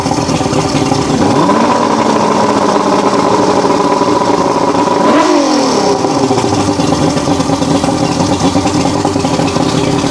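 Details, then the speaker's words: Roughly 40-year-old 1980s Mercury 150HP Black Max 2-stroke V6 outboard, under repair with a suspected fuel pump leak: it settles into an even idle, then revs cleanly and drops back smoothly with no misses or pops. "We're trying to see if this engine's going to run again. And it's unfortunately getting to the point to where you almost have to uh order online just to get any of this stuff. >> That sounds a lot better."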